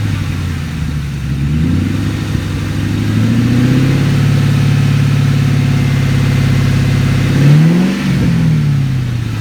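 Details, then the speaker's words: 2003 Mustang GT, automatic, after reinstalling the cat section, running with the mid pipe but no catback (open exhaust): deep V8 rumble through a couple of revs. No ticking or puffing, confirming there is no exhaust leak. "So I was worrying that it was going to have an exhaust ticking leak, and so when I did fire it up, I was very pleased to find that there's no exhaust leak. And this is now open exhaust."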